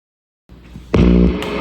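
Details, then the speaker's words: 1964 Fender Princeton Reverb tube amp played with a P90-equipped Stratocaster after a simple fix for knob crackle: the guitar chord rings loud and clean with no crackle or scratchy dropouts, so the amplifier output is now normal. "it's loud. Now and no problems. Really simple fix."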